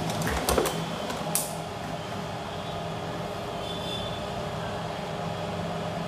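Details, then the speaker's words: Universal 6500DP 500W/650W amplifier under repair for distorted sound; music now plays clean but a steady low mains hum drones underneath after handling clicks, a second fault. "कि मैं की आवाज साफ हो रही है लेकिन हम इन बहुत ज्यादा है"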